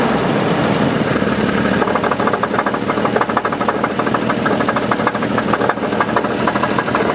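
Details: 1988 Renix Jeep 4.0, engine knocking at idle: steady, light, sharp metallic ticks about twice a second over a rough idle; the knock goes away at road speed, so the owner doubts rod knock and suspects piston slap, louder toward the rear.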